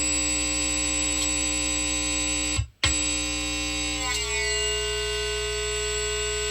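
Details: MXR Flanger MX-117 pedal, previously repaired: the steady flanged tone drops out completely for a split second, then returns and shifts; intermittent signal cutout, suspected to come from the manual knob.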